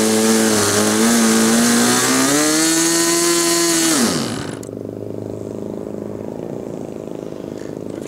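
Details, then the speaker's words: SIG Kadet LT-40 model aircraft engine during break-in: high buzz wavers and hunts up and down in pitch, then dies. The needle was set too rich and was later backed out toward about one and a third turns. "that was obviously too rich start it up again"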